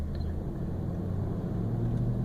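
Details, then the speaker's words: 1999 Toyota Land Cruiser 100 series, original muffler rusted through, recorded in cabin with doors closed at idle: steady deep droning rumble with loud booming resonant low notes; exhaust drone from rusted-through muffler, before replacement. "And there are certain frequencies right there that sounds okay. But certain frequencies are just awful. Very loud, a lot of resonance, not how it's supposed to sound."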